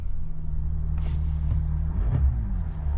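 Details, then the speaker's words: 2019 Mercedes X-Class with a StarLine S96 alarm and immobiliser, started normally with the tag present: steady, even low diesel rumble with no knocks, misses or hunting; normal running. "So all you do is just carry the tag with you when you get in the vehicle, and now you're able to start the vehicle up as normal."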